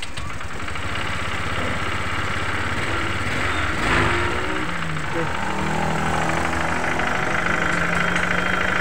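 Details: Honda Vario 125 eSP scooter that lost coolant, overheated and ran rough from a leaking radiator T-joint; after repair and a coolant refill, it is started for a leak check. Steady, even putter with no knocks or squeals. Normal idle.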